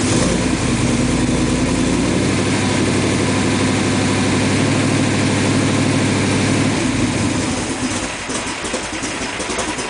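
Engine catches and settles into a steady, even idle with no misses, ticks or stumbles; sounds healthy.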